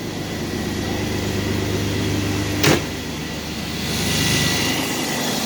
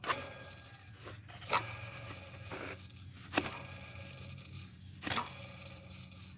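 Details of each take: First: 2001 Chevrolet Blazer 4.3 V6 with 165k miles, after replacing a bad idler pulley: steady even engine hum with no belt chirp or squeal, one brief click; belt drive quiet, though the alternator bearing is reported as bad too. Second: 2001 Chevrolet Blazer 4.3 V6, 165k miles, belt off: idler pulley spun by hand gives a gritty, rough rumble, the owner noting grinding and that the bearing doesn't sound good; worn idler pulley bearing.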